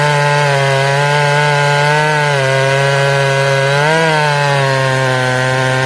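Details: Ported Jonsered 630/266 chainsaw, tuned and warmed up on a roughly 110-degree day, won't hold tune: steady high buzz sags and drops pitch in the cut, labouring slower than stock; bogging under load, crank or bearing failure suspected, not confirmed.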